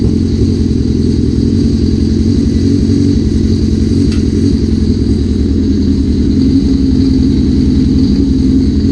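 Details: 1981 Suzuki GS650GL four-cylinder, first start after rebuild with new battery, plugs, oil, filter and pod filters: steady low rumble settling into an even, slightly lumpy choke idle, no knocks; a small carb fuel leak is suspected.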